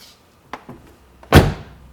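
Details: Older Mercedes car door after extensive lubrication. A couple of light clicks through the first and second check stops, then a solid single thunk as it shuts cleanly with no creak or binding.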